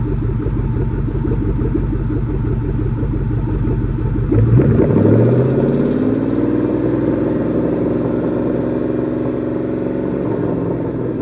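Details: Warm 2004 Ford Mustang Mach 1 V8 idling outside with light, even ticking and tapping, then a brief rev; suspected driver-side exhaust manifold leak, possibly behind a lean code.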